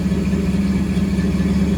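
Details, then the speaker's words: 1974 Ford F100 V8 with Holley Sniper EFI, after fixing a crimped fuel return hose that had made the pump bind and stall the engine: smooth even idle, no hunting or stalling, runs like a sewing machine. "But right now it sounds like and it sound like it run like a sewing machine right now."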